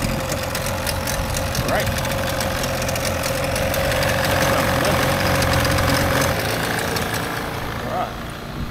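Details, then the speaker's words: 30 hp two-stroke outboard from barn-find 14 ft alloy boat, after replacing internally shorting spark plug and fuel line/tank: smooth, even, quiet two-stroke burble with no misses; normal idle. "oh that runs beautiful M that sounds perfect actually it's nice and quiet for a two stroke as well"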